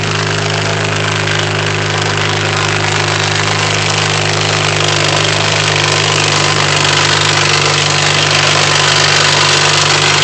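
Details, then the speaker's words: 2008 Honda Civic Si idling in neutral with loud steady rough whirring that fades when the clutch is pressed; owner suspects a bad transmission input shaft bearing, also noisy in first gear. "um then when I push the clutch in so when I disengage it when I press it down the sound Fades away and someone's saying the way Honda does their input shaft bearings that's a sign that that's bad"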